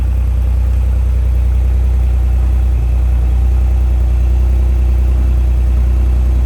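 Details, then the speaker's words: Countach replica kit car on a 1986 Fiero GT chassis, after a battery change and long sitting: fired right up into a deep, steady idle with an even low rumble and no knocks or misses; normal idle. "All right, so as you saw, fired right up, running great. Gonna let it idle a little bit since it's been sitting so long."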